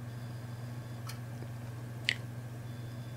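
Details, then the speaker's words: Dell Inspiron 15R laptop that will not boot: two sharp clicks about a second apart over a low hum at power-on from the failed Western Digital hard drive, then it tries to boot from the ethernet card. "what immediately gets my attention was that clicking noise I'm not sure if you can hear on the audio there and then it goes to try and boot and ends up trying to boot from the ethernet card"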